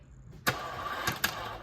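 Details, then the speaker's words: 2011 Volkswagen CC first start after underside work and fluid fill, battery at 12.1 V dropping to about 11.3 V with booster connected but off: brief weak crank stalling after a few slow turns, separate clicks: crank no start from low battery. "it trying Needs Some More Voltage"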